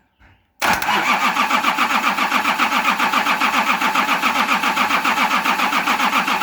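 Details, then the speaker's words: Nissan LD28 diesel with a part-repaired starter cranks steadily at nearly four pulses a second but never catches: the injection pump's fuel cut-off solenoid isn't energised, so no diesel reaches the cracked injectors, which only dribble or bubble. "So when you turn the ignition on, the solenoid plunger is drawn in, just like a starter solenoid plunger is drawn in. And that allows fuel to flow. And that's why I wasn't getting diesel coming out when I was cracking those injectors."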